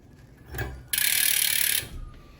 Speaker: yep, the chain started rubbing there when I put some load on the chain, like so. It's definitely rubbing against the derailleur there.